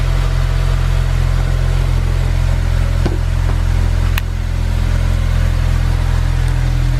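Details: Honda S2000 idling right after a Clutch Masters FX300 clutch install: a steady, smooth petrol idle with a low drone and faint clicks. The noise just after start-up is the starter hanging out, a common issue; otherwise it runs healthy.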